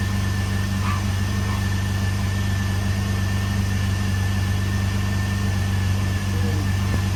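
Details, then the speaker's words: Jeep Liberty engine after valve cover seal work, just restarted after two years sitting, penetrating oil burning off exhaust bolt: steady, even low idle with smooth rumble and no knocks or misses; normal idle. "Oh, okay, okay. Sound pretty good. Good throttle response."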